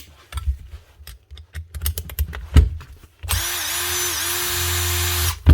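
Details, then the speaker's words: 2007 Makita BTD140 18V brushed impact driver, 17 years old, after armature replacement repair: after handling clatter, motor spins up to an even, steady whir about two seconds, no grinding or sputter; running nice and smooth. "that that's her one old Makita BTD 140 18vt brushed impactor that's the original twin brush Universal motor lithium battery and factor that made M put out the BPD not the dpd that's her running nice and smooth"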